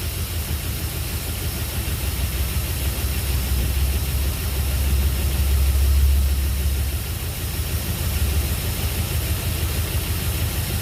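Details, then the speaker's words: Jeep engine with new connecting rod bearings, very first fire-up after reinstall, good oil pressure: low idle rumble with slightly uneven, occasionally wavering beat; owner thinks it may be missing a little, possibly a vacuum leak, unconfirmed; rough idle. "Alright, fired up. We seem to have good oil pressure. Seems like it might be missing a little bit. Maybe a possible vacuum leak."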